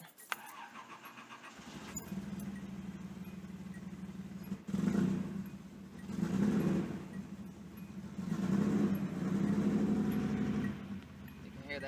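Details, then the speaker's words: Datsun 280ZX with corroded cylinder-1 fuel injector harness connector: cranks and catches into lumpy idle surging and sagging every couple seconds; cylinder 1 not firing, injector lead to be replaced. "That first cylinder's not firing correctly, not firing at all, really."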